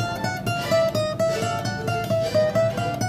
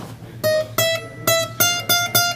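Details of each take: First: Guitar after leveling and crowning a high fret: plucked notes ring clean and sustain evenly with no buzz or rattle; fretwork sound. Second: New Recording King guitar during setup, plucked notes: thin metallic sizzle riding each attack, a string buzzing on one high fret; the other frets were fine.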